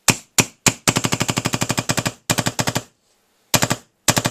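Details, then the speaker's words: DLX Luxe 2.0 paintball marker, dry-fired with an LV1 muffler: quick pops, about ten a second, sounding wheezy with an airy hiss in each shot. The bolt returns slowly with little pressure because the manifold screw is adjusted in too far. "Now, right off the bat, when I'm firing this, it sounds kind of wheezy. It does not sound... It doesn't sound right to me. I can hear this like wheezing from the bolt,"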